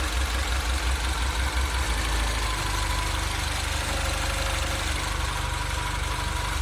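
Small turbo petrol idling with a low throb that pulses unevenly, speed wavering in the first seconds then settling; rough, surging idle.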